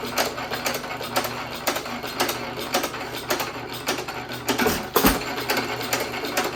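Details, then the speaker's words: 1917 Economy hit-and-miss engine with higher-compression piston refitted in place of the low-compression one, buzz coil ignition, same speed setting: even single-cylinder pops with quiet coasting, no leak-by past rings, healthy. "You don't hear all the compression around the rings and out the back end this time, do you?"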